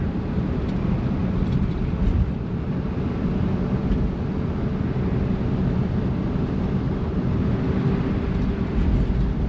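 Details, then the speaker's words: 1955 Chevy Bel Air "Lucy" cruising hilly roads after a months-long no-run problem was fixed: steady, even low rumble under light cruise with road noise, no stumble or miss. Normal healthy cruising. "A, she runs so good."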